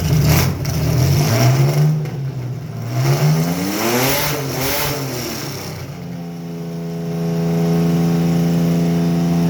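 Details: Carbureted Chevy Lumina 3100 V6 before derby tuning; uneven, stumbling idle that lumps and clatters as revs swing; misfire found to be a bad coil pack, with a small vacuum leak also present.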